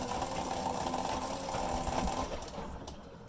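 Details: Maytag Neptune MAH5500 washer after tub bearing replacement with a kit, noise persisting: rough, rasping churn with an uneven pulse about three per second as the drum turns; grinding noise, source unknown.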